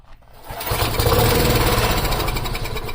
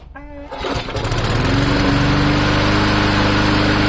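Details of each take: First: Free old lawn mower with a very dirty carburetor hanging by one screw and a broken intake piece, clean oil: short crank, then it catches and runs roughly at a steady putter on starter fluid; fuel delivery suspected. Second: Free old lawn mower engine after the governor spring bracket was bent outward for more tension, safety handle clamped: small single starts, then a steady higher buzzing drone with even pitch, no hunting; normal running at raised governed speed.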